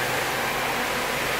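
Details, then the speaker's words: Cooling fan on Kawasaki KZ 650cc shifter kart motor, after adding spring spacers between seat and fan: steady even rush of air, no ticking or wobble; good, cold airflow. "we're getting some good airflow I can feel it all the way out to here it's like really cold air"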